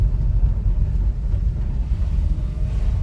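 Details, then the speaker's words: Lifted 4x4 three-cylinder mini truck with dump bed and snow tires, driving in second gear on the road: steady low drone pulling evenly under throttle, no misses or knocks, over road and wind noise; runs well. "okay let's go back to driving our truck takes throttle well seems like it runs well"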